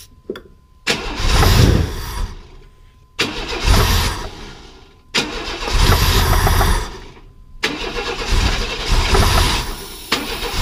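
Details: 1995 Chevy S10 Blazer, 4.3L Vortec V6: four bursts where it catches, roars briefly and dies, running only on starting fluid. This confirms the timing had been 180° out and is now corrected.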